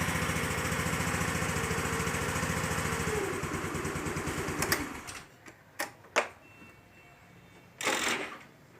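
A steady, fast single-cylinder putter for about four seconds, then it drops away to quiet with only handling knocks, a scooter running normally.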